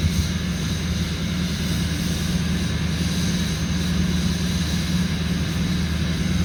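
Deep, steady diesel rumble at a raised, even idle with no knocks or misses, typical of a cold-start fast idle.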